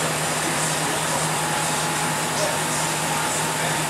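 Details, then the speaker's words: Porsche Cayenne V8 air suspension during diagnosis of its failed pneumatic shocks, raising from low to maximum height: steady, even compressor hum with no knocks or rattles while the car lifts; air suspension raising normally. "olha bem mais alta já para o máximo podemos ver que ele está praticando máximo também na altura show de bola"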